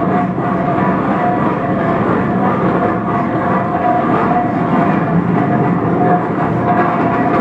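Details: 1917 Minneapolis 40-80 tractor engine first rolling over after rebuild: turns over steadily with an even rolling rhythm and a faint tone on top; sounds healthy.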